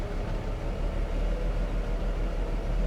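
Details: 1995 Mercedes W124 E320 Cabriolet, sat 19 years: low, uneven idle that lopes and stumbles with no steady beat, as if about to die; rough idle.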